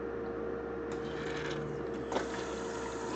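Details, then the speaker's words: Hummer H2 fuel pump on a bench power supply with its outlet screwed shut to simulate a car not running: quiet steady pump hum at constant pitch with a click as the pressure regulator kicks in; current rises to 7.5 A while deadheaded. "you could hear the actual pressure regulator kick in but now just look what's happened to the current the current has now gone up to seven and a half amps"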